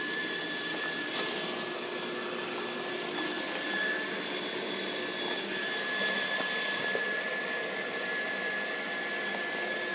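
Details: Pool pump at Mountain Sky: a loud steady whooshing roar with a thin constant high whistle and no clear knock. Loud pump noise, cause unclear.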